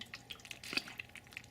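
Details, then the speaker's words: Marina breeder box air-lift driven by an air pump, lid removed: quick rhythmic wet slurping and bubbling several times a second as air rises and draws water cyclically; very loud noisy air-lift, later replaced with an underwater pump. "And it's cyclical, so that's what's causing the noise. It's kind of like a sucking sound, and it's very loud."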